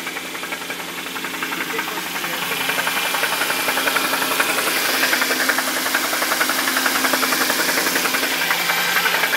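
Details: Jaguar petrol V8 running with a loud, regular knock of about four beats a second; told it is rod knock, but possibly failed timing chain tensioners letting the chain slap; unconfirmed until engine teardown.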